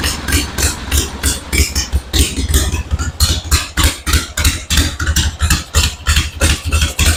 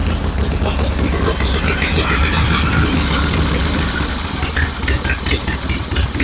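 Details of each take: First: 1974 Harley-Davidson Ironhead Sportster chopper at start, on battery charger: loud uneven thumping idle near three beats a second with weak or dropped beats; owner suspects ignition cutting out, sounds about to die. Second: 1974 Harley-Davidson Ironhead Sportster chopper after repair work, with the battery at 12.8 V before starting to check charging: a loud, even, loping idle with no misses or clatter. It now runs smoother; normal idle.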